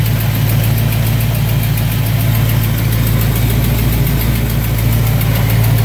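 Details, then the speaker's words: 1971 Chevrolet C20 after cold start, distributor reinstalled but still off: a steady low idle with a lazy, uneven pulse and soft exhaust note, slow revving and down on power. Owner suspects the timing is retarded a tooth, unconfirmed. "I mean it it sounds good but it just doesn't sound like it's supposed to it's really slow revving that doesn't have much power and that would indicate that it is a tooth out"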